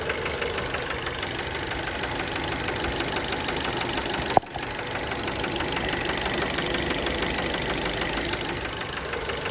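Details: Fiat Bravo 2 1.4 T-Jet 150 HP at 215,000 km, after recent maintenance, recorded close to the engine: sharp steady metallic knock about three per second at idle from worn rod bearings; cause unknown, car scrapped.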